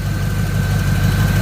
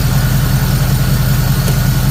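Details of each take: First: Third-gen Camaro small-block Chevy V8, nearly warm, idling after ignition timing was moved by ear: steady even low rumble with no stumbles, knocks or ticks, much smoother than before; timing mark accuracy uncertain; normal idle. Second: Third-gen Camaro small-block Chevy V8 with new Summit computer after checking timing at about six degrees, running with an uneven lumpy pulse that never smooths; still not right, timing chain to be inspected.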